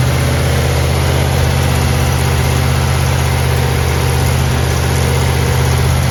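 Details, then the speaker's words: 1970 Chevelle SS 454 big-block Chevy with solid lifters, Comp Cam and locking rocker arm nuts, restarted to finish break-in after about 15 minutes' running; deep, steady, even lope with no knocks or misses, idling down to 650 rpm; normal idle. "I mean it idles down to 650 RPM and uh we're very very very happy with how this motor is running"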